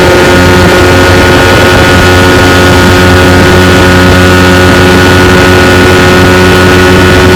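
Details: 1992 Evinrude 15 HP two-stroke outboard run wide open for about 10 minutes on a john boat at about 18 mph during an on-water check for slipping out of gear. Its strong, steady buzz has no misses or surging, and it never jumped out of gear.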